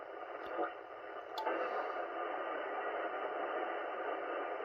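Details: 80m ham band receiver, 3.5 MHz upward: after a couple of clicks a steady rushing hiss swells and fills the band, sizzling crackling that comes and goes, owner unsure of source; broadband RF interference.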